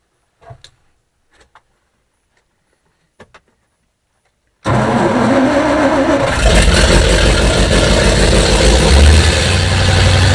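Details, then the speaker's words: Engine first start after fitting 7600 heads and putting the carburetor together, no coolant yet: fires straight away and runs smoothly and evenly at a slightly fast idle; healthy start, idle needs adjusting down. "right a lot better need to work on the adjustment here get the idol to finish the idol down a little more"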